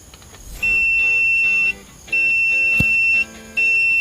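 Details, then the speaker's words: Multimeter set to continuity/buzzer range with the test probes connected: three clean high-pitched beeps about a second each over background music, showing the continuity tester works. "if you hear that sound that sound simply indicates that this tester is working"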